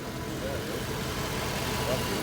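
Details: 1990 Ford Mustang, previously crank no start, fired up after base timing is set and spout connector reinstalled: engine settles into an even, steady idle with no misses, knocks or ticks; running right.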